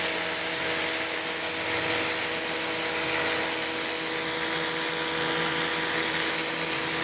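Steady high electric motor whine with spray hiss, pitch holding even and unwavering throughout; washer running normally.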